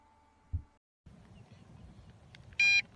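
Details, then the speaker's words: Two sharp, high electronic beeps after a quiet stretch from the MJX Bugs 5W drone transmitter, its low-power warning at the end of a flight of over a mile with antenna mod. "as you can hear I'm beeping I was gonna run me at this it does so show we have two bars and clearly my low power on my transmitter was not an issue"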